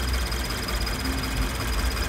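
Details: Toyota GT86 with Subaru FA20 engine at idle, bonnet open: a fast, sharp cricket-like chirping tick from the cam-driven high pressure fuel pump feeding the direct injectors, attributed to high-alcohol fuel (Shell V-Power Nitro+) starving a pump metal washer of lubrication.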